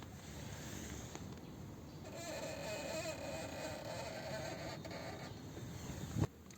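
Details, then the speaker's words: Peugeot 407 at working temperature after city driving: thin wavering squeal over idle as the clutch pedal is pressed and slowly released, then a thump; persists after lubricating the clutch slave cylinder, which did not cure it. "вот выжимаю сцепление и медленно отпускаю чтобы было лучше слышно опущу телефон"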